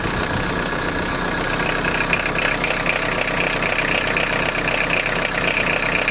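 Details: Citroen Jumpy/Dispatch XUD9TF diesel idling unevenly with a loose, lumpy knock about twice a second. Owner suspects air getting into the fuel line; a replacement fuel filter didn't help. With timing advance plugged in it hesitates. Cause unconfirmed.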